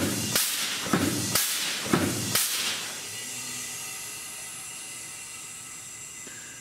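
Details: Bendix ABS/ATC/EBS trainer board, ATC valve test on the drive axle, cycling 3.5 seconds on and 3 seconds off: sharp hissing air bursts about every half second for two seconds, then steady quiet. The valve pulses and exhausts normally.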